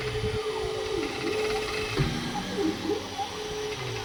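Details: Creality K2 Plus 3D printer, about a week of use, firmware updated 2025-05-01, printing unusually slowly (owner unsure if print setting is why): steady mid-pitched motor hum with tones dipping and sliding as head moves; owner thinks it sounds different, cause unknown.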